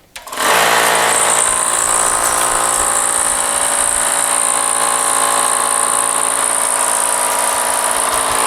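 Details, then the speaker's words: Hitachi EC79 air compressor after rebuild (switch, check valve, gauges, regulator, relief valve; previously never shut off and leaked): motor spins up to a steady even buzzing pump beat, no air hiss; no leak, auto shuts off about 110 psi. "here goes the pressures coming up and no leak oh yay so we have done it now okay it auto shut off at about 110 psi which is great"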